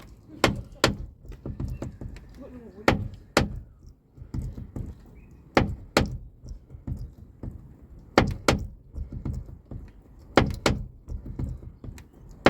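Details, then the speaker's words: Car with brand new cheap replacement door check strap, greased: sharp, uneven clunks and clicks as the door swings; the new strap itself knocks and rattles, hinges okay; door check strap knock. "It's not supposed to do this. It's supposed to be quiet. But it's rattling."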